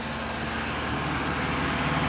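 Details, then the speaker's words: Truck engine running on a homemade wood gasifier, just started; fast, steady idle far above normal speed with no drop, owner notes the idle is extremely high; high idle. "hey like I said the idle is extremely high"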